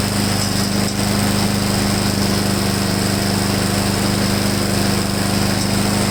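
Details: Husqvarna mower after cleaning a clogged carburetor main jet, draining the tank and adding fresh gas with Seafoam, previously hunting and surging: steady constant buzzing drone at full throttle, no surging or sputtering; runs evenly and healthy.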